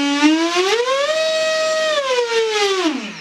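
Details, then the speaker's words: LX Models F-117A Nighthawk with 70mm EDF on 4S and a 65A ESC, before fan balancing with a Du-Bro balancer: loud, piercing whine climbing with throttle, holding, then dropping away. Unbalanced ducted fan whine. "It doesn't do it justice, and it needs to be balanced, and it needs probably a 10-blade, maybe a 12-blade fan."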